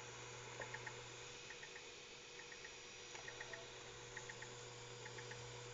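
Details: Synology DS212 NAS in Quiet Mode under DSM 3.2: faint clusters of three ticks about once a second over a quiet hiss. The case fan is clicking, not the drives (it persists with them removed), and it disappears in Cool Mode.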